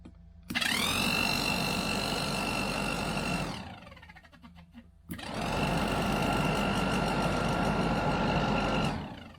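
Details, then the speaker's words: Classic Range Rover hard-dash plastic heater box, replacement pattern blower motor bench-run on jump leads from battery: steady high whine with fast scuffing rub as fan just kisses inside of casing; blower fan rubbing casing. "it's definitely blowing it's a bit noisy though isn't it"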